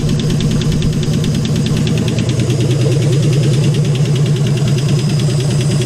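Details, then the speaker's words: AMC 199 engine in a 1951 Hudson Hornet after head rebuild, idling with oil leaking and burning: steady light ticking two or three a second over rough low rumble; valvetrain ticking, suspected too much clearance from worn valves or lifters, not confirmed. "And valves make noise. Yeah, because there's too much clearance. Because they're all worn, right?"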